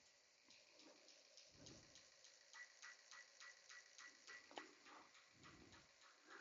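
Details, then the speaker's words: Mercury Marine 496 with no-comm and injector 2 and 7 codes, tested before repairs; faint quick ticking about three clicks a second with uneven gaps, injector firing only intermittently. "so what we see here is firing not firing firing not firing firing not firing on that injector"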